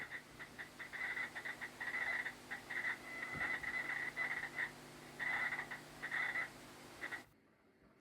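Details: Chirpy, warbling whine comes and goes over a low hum from the studio monitors and changes as the computer works. This is computer noise through a USB ground loop via the USB-powered audio interface, before an iFi iDefender+ ground loop breaker is fitted.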